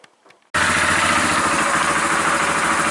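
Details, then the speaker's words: 2001 Yamaha Kodiak ATV, about 20 years old, with old gas, just started after a fuel shut-off valve was fitted. Cold; the owner thinks it may shut off. Steady, even single-cylinder patter, no knocks or misses; normal cold idle. "runs. So it's probably gonna shut off. It's still cold."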